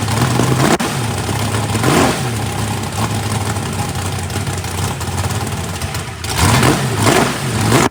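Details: First fire-up of a freshly built 409ci small-block Chevy race engine, warming up: steady lumpy V8 idle rising cleanly on quick blips, no knocks or ticks. Runs pretty good with good oil pressure (oil pressure spring shimmed). Normal.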